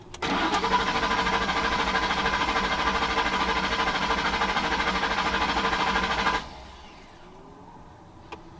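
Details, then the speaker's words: 2009–2014 Ford F-150 cranking with no start: steady starter churn about three turns a second for six seconds, never fires; scanner shows fuel pump off with a circuit error, fault suspected in relay or corroded pump wiring. "somewhere our fuel pump has a fault whether it be a relay or maybe a corroded uh wire to the pump could be anything"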